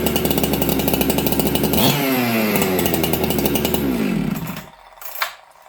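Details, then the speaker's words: Ported chainsaw in a near-freezing, humid shop, after richening the low jet: crisp, even two-stroke snarl at high revs and a smooth drop-off at shutdown. Crisper throttle and restarts well; idle still slightly fast; normal running. "Okay, so you guys hear it's got crisper throttle now. It restarts well."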